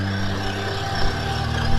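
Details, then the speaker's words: Vanquish VS4-10 Fordyce RTR crawler, past 13 km of a 19 km trail run, motor not even warm, RTR servo worrying: steady, even electric whine at constant pitch under light trail load, no grinding or cogging; motor sounds good. "I mean, the motor still sounds good. Everything else about the truck is rock solid."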